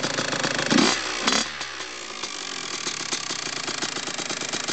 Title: kx 85 piston slap